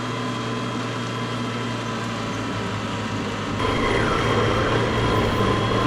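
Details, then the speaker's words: Gas snow blower converted to electric with two electric motors and a battery, clearing about 60–80 cm of snow: steady motor drone rises and roughens under load as the drive belts slip; owner may enlarge the drive gear diameter. "I could hear the belts slip, so we might have to increase the diameter of that gear. It struggled, but it worked."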